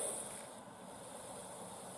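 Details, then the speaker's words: Instant Pot-style pressure cooker on first use doing the water test, about a minute and a half in: soft steady hiss with faint bubbling as the water boils while coming to pressure, normal, just before the pin pops up. "about a minute and a half in that means the water is boiling"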